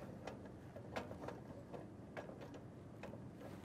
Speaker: so you want to move it forward to the next groove and make sure you hear the clicking sound that shows you that it's in the next groove